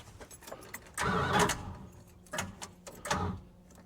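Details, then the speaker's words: Long-sitting engine with the fuel pump disconnected and many frayed wires. Three short, sluggish cranking bursts fade out without catching, as if losing power; the owner suspects bad connections or a poor ground wire starving the starter. "It's like it's losing It's like it's losing power somehow."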